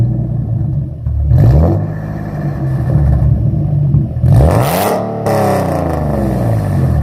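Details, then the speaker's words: Nissan 370Z with Z1 test pipes, essentially straight-piped, before Motordyne Art Pipes install: very loud revs rising and falling fast with a raspy, crackly edge on each blip; exhaust rasp. "because i believe right now he has z1 test pipes and it's just a straight pipe so it's extremely loud it has some rasp once we add these monodyne our pipes it should eliminate a lot of that rasp"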